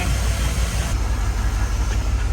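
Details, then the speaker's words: LS-swapped Unimog 404 (Triton coils) after overheating fix: deep, lumpy, stumbling idle with one cylinder dropping out; exhaust touch test finds rearmost cylinder cold, coil connector suspected—misfire at idle. "oh yeah so I'm going to fire it up and we're going to find which holes are misfiring and then we can narrow down why it's [Music] misfiring"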